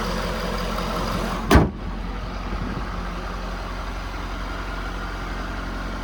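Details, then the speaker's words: 2011 Ford F-550 service truck, 6.7 Powerstroke diesel, six-speed automatic, 222,546 miles: steady low idle with light gear rattle, normal PTO chatter on early 6.7s that disappears when PTO is engaged or revved. "you do have a little bit of PTO chatter um you can hear it right now anytime you're idling um you'll hear that PTO chatter so once you engage the PTO or once you rev it the chatter goes away away but that that chatter at idle is normal on these a"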